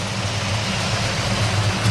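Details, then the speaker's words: 1971 Chevrolet Chevelle SS, original LS5 454 big block rebuilt, MSD ignition, Edelbrock parts, cam, 5-speed manual: deep, steady V8 idle with slight cam lope, even rhythm, no knocks or ticks; normal idle. "I'm gonna head fire it up for you sounds great no weird noises under the hood"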